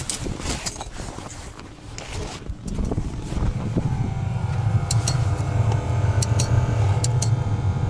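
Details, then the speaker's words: First start of a revived diesel parking heater in a ZAZ 968, after its stuck fan was freed by hand; a low hum builds as the fan spins up, with regular fuel-pump ticks; normal start-up. "Насос работает. И, слышите, печка гудит."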